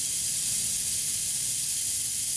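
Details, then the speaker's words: Dodge Caliber SRT-4 boost leak test at 10–15 psi: steady sharp air hiss with engine off, leak found at an uncapped port on the hose line from the EVAP canister. "Well, there it is, you guys. There's my leak."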